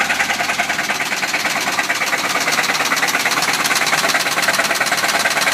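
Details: Worn, all-original 1973 Chevy C30 with numbers-matching 454 LS5 big block, run low on oil by a previous owner. Steady sharp metallic knock about three times a second over a rough idle; rod knock.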